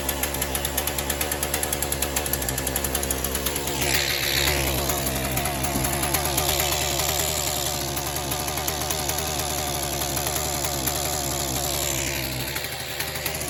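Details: Shindaiwa M242 two-stroke trimmer started on choke after priming, following carburetor removal and fuel line and fuel line gasket replacement: high, buzzy drone with steady rapid firing beat and slight revving, running evenly and cleanly; normal running.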